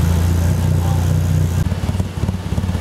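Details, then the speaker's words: Mitsubishi Eclipse, P0300, idling in closed loop: steady then uneven low chug two or three beats a second; very high hydrocarbons, zero CO, lean misfire caused by faulty upstream O2 sensor stuck fixed rich (670 mV). "looking at hydrocarbons very high that is a lean misfire"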